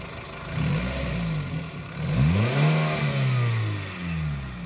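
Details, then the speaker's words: Suzuki Swift after manual throttle body cleaning (before: idle RPM fluctuating 1300–1100 and engine noisy); engine restarted with air filter refitted, blipped, revs rise and fall cleanly, even note, no knocking; smooth normal running. "Car start जी हाँ, बिल्कुल। सुचारू रूप से गया। पहले का कई लोगों से यह चिकना लगता है।"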